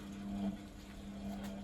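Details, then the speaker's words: Beko WTG620M2W slimline washing machine drain test: the drain pump motor runs with no water in it, giving a steady low hum and faint whirr with no sloshing. Normal dry pump operation. "that's the pump motor going around down below with no water in it"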